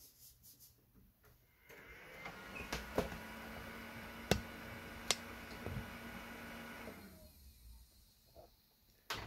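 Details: Old shop PC after CPU swap to a 1.5 GHz chip: fans spin up with a steady whir about five seconds, then wind down; powers on then shuts off. Not the CPU, RAM (256 MB PC2700) pulled but didn't help.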